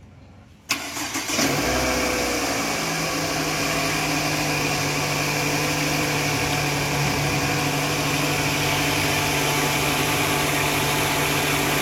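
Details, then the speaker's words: 2011 Toyota Alphard 2AZ-FE, start before age-based balancer shaft replacement: cranks briefly, catches, settles to a fast, steady idle-up hum, no knocks or shaking; engine start and idle not rough. "suaranya gak terlalu kasar ya lebih cenderung e ke idle up ya jadi memang enggak kasar sih sebenarnya sih"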